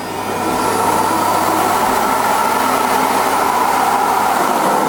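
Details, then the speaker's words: Electrolux UltraActive ZUA3861P powerhead, not picking up: a steady, even motor whir with no brush slap, so the small motor runs but the brushes don't spin; a muck jam is suspected. Finding: brush roll not spinning. "these brushes just aren't even spinning. Um, I can hear the little tiny motor inside here whizzing away."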